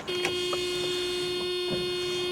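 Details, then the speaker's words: Mercedes AMG coupe sitting since 2009 after tank derusting, priming fuel with the key on: a steady mid-pitched hum with no stutter. Pump activating and delivering fuel normally. "There we go. Fuel sending units working. Fuel pumps activating. I'm shooting fuel."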